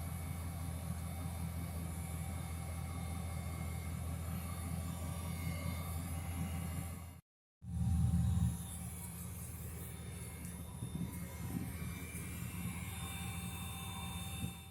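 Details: 2005 Dodge Ram 1500 after repair of a no-start with fuel leaking at the top of the tank: steady even rumble, no misses or knocks. The fix was replacing a deteriorated plastic clip holding the fuel line to the pump.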